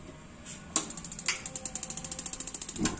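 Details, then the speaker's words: Gas water heater that wasn't heating, LPG regulator pressure too high: quick even igniter ticking, about nine clicks a second for two seconds, stops once the burner lights and the flame sensor detects flame; ignition now normal. "pemantik Cepat itu berarti sensor apinya sudah kena api ah begitu nyalah pemantiknya mati sudah normal"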